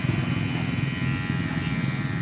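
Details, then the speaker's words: Cordless hair clipper after repair, noise now gone, though it runs weak and its fast-draining battery is to be replaced: a smooth, steady low buzz with no rattle or grinding; normal running. "Ayun o. Wala na yung ingay."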